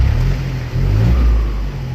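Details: Isuzu FRR210 truck with a 4HK diesel, after the faulty ECM power relay behind its no-start was replaced: deep rumble rising and falling cleanly with throttle blips, no knocks or misses; runs fine.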